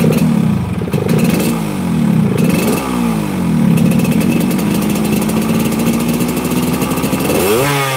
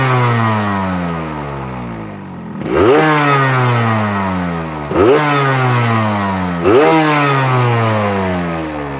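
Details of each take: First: Motorcycle that is hard to start, sputters near 80 as if out of fuel, and has been to several workshops without a fix: revs stumble, sag and die when blipped, then sputter. It runs on gentle throttle only; cause unknown. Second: Same hard-starting motorcycle on its standard exhaust: three crisp throttle blips rise and fall smoothly, picking up cleanly and returning to idle without stumbling; the engine sound is judged not too bad, fairly normal.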